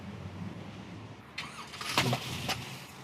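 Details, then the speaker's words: 1972 Chevrolet Nova engine on start-up, with a knock heard deep inside: a dull hiss while cranking, then sharp chuffing puffs out the carburetor as compression blows back on the intake stroke. Suspected shifted or broken timing chain or broken valve or seat. "So what is happening there is the compression is occurring while it's in the intake stroke. So timing chain shifted, broke, came apart, or we broke a valve, a seat, something like that. Cuz compression is coming back to the carburetor."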